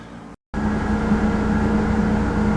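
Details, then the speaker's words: 2001 Ford Explorer after cleaning idle air control valve: engine settles at steady fast idle, previously staying above 1100 rpm, not dropping yet; eases down after some throttle and a couple of minutes. "Well, I started it up. It's only been a little while and it hasn't really gone down any."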